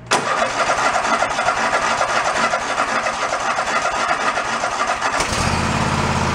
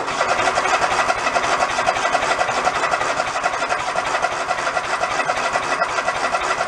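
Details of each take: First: Toro zero-turn mower that sat about 10 years, started on choke at about quarter throttle: it catches within a second and settles into a steady running beat, then the tone shifts as load comes on. Running normally. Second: Toro zero-turn mower unused about 10 years, 3/4 tank of fuel: about seven seconds of steady, fast cranking with no firing; fuel isn't reaching the carburettor, no fuel shutoff found yet.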